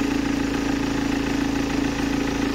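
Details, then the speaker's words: BMW diesel with 182k miles and questionable engine, idling with a part fitted on test: even, rapid clatter with a strong droning hum on top, not any quieter; loud idle noise, source not pinned down. "let's uh turn this on it's not any quieter I don't think so"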